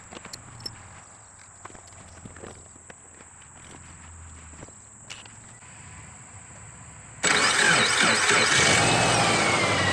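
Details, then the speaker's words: 2007/2008 Subaru Forester 2.5X after replacing the failed alternator with a known-good unit: quiet, then the engine fires at once and settles into a smooth steady idle, now charging; normal idle, no misses. "Sounds like it's charging. And look at there. Charging once again, so we'll let this run, charge our battery on up, and see if our check engine light throws"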